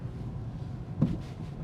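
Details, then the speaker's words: 2008 Honda Civic Type-R (FN2), 245,000 km, driven over a bump: single dull thud over road rumble; knock from the left, front right possibly too, owner unsure; car passed inspection; fourth-gear synchro also worn. "So, there's a knock from the right left. Uh, the car passed inspection. So, it's not something not that important, but I guess it would be better if it was not knocking from the right, left, and the right side, front right may also be doing this."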